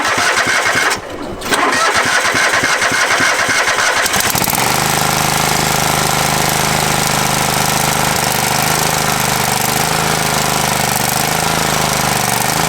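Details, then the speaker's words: Free Craftsman riding mower, reported as not running, fitted with a new battery: a short crank, then it catches and settles into a steady, even idle with no misses. It starts and runs normally; the fault was just the battery. "Well, that's awesome because he said it didn't run. Yeah. Sure enough, battery issue."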